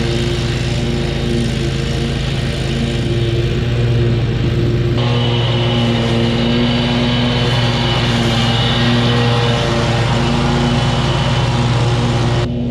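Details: Kubota zero-turn mower, about seven years old, after a new switch was fitted: steady low engine drone with blades engaged, even and unbroken under mowing load; cutting normally.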